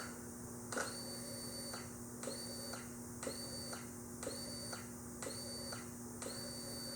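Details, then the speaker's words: Yamaha XV1700 Road Star Warrior in diagnostic mode, code 50 for the fuel injection system after cycling the kill switch, battery a bit low: a soft fuel pump buzz switching on and off about once a second, five cycles, working normally. "When you do this one, you do the kill switch off then back on, you're going to hear your fuel pump kick on and off 5 times."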